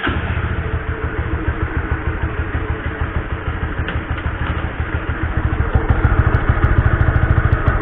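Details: Honda CB150R motorcycle before cleaning its very dirty stock chain and sprockets: rough, fairly regular clatter of about three beats a second over the idle; noisy drive chain.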